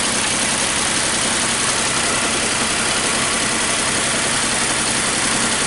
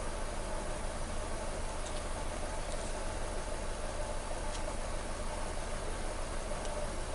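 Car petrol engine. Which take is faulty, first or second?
first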